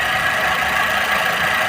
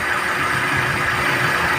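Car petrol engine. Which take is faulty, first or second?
second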